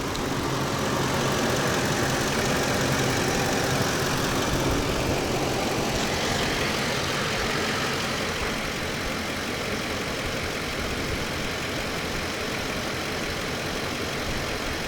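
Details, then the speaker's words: Van V8 with prior crank-no-start, cold start next day without checking relays, fuse or inertia switch: steady even idle with constant low rumble, no knocks; seems to be running okay — normal idle. "so this is the cold start after yesterday and without checking the switches yeah the relays or the fuse and without checking the inertia switch um [Music] seems to be running okay"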